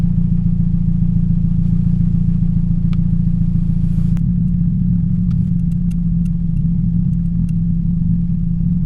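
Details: 2007 Toyota Yaris 1.5L 1NZ-FE at idle: an uneven, stumbling beat that drops out now and then, a cylinder 3 misfire from a bad ignition coil, before replacing coil packs and plugs.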